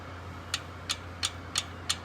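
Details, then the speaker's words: 1968 BSA A65 twin, valve clearances just readjusted (one was about 35): crisp light ticks about three a second over a faint hum, clean and even; correct tappet clearance, rockers clicked by hand. "That's a lovely sound. And after a few years, you'll hear that and know when things are right and when things are wrong."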